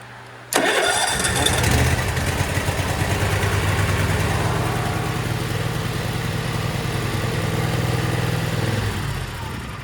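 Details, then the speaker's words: Cub Cadet RZT SX EFI zero-turn mower after a new relay was fitted: short crank, catches at once and settles into a steady, even idle; the crank no start fault was the relay; normal start and idle. "We hit the key and it's got sparked, you know it was the relay."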